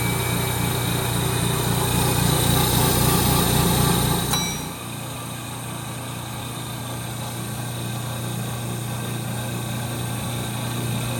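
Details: 1930 Gilbert and Barker model 106 clock-face gas pump, after a WD-40 restoration, switched on and primed: steady low electric motor hum under load dropping to a smooth lighter drone, no grinding or surging; good flow and pressure, normal running.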